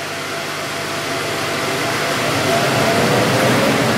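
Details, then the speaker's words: 30 W RF laser cutter running with its extraction fan on: a steady rushing airflow roar with a faint hum, even and unchanging. Normal running with the extraction fan. "yeah you see what i mean and that's before we put the extract fan on which sounds like this"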